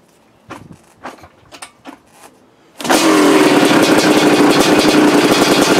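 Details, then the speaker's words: 1985 Honda CR500 two-stroke, freshly rebuilt engine, first start with new used swing arm fitted and water pump problem found; a few kicks then catches immediately, crisp even crackle, healthy start. "I just want to hear this brand-new motor run and hopefully it kicks over and fires up right away"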